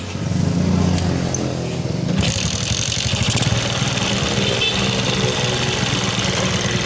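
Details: Suzuki Shogun 125 carburetted single after the fuel line was fixed (vacuum hose to the manifold routed so it carries no petrol): a short crank, then it starts on its own and settles to an even, steady idle; normal start.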